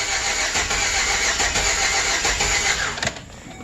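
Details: 2008 Express van under diagnosis with scope and pressure transducer: engine cranks and catches with a rough, uneven beat and a loud hiss on start-up. Misfire suspected, cause not confirmed; later fixed with junkyard parts.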